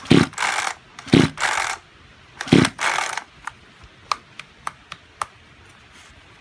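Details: Junk Kyoritsu chainsaw, tagged for seizure and low compression: recoil pulls with raspy whirring, never a first fire, then light clicks. Cranks but won't start; cause unconfirmed, overhaul considered.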